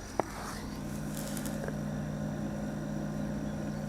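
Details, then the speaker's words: Bodega 80-quart (75 L) refrigerator-freezer running on a Bluetti EB70 power station, drawing about 80 watts, recorded close to the compressor side. Faint, steady low hum with no knocks, rattles or cycling clicks. Compressor runs quietly and normally; the box is already down to 14 degrees. "So it's running, but it is really quiet. It's inside here."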